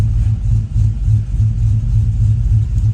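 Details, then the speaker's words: Chevy Silverado 1500 5.3L, 4L60 in gear, Chopacabra cam, long tubes, 3-inch exhaust: deep loping idle surging about three times a second, still choppy in gear as wanted; normal cammed idle. "See, it's in gear, you still hear it. That's what we want."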